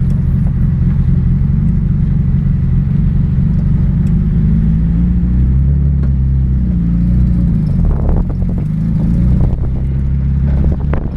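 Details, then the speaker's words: Car being driven all day, turbo pipe holed from bottoming out; old fuel has been burned through and is no longer suspected: deep raspy drone whose pitch wavers and stumbles in brief uneven surges; engine sputter under way. "but uh that's the least of my problems man I got to figure out why the car is uh sputtering see if I can catch it on film here"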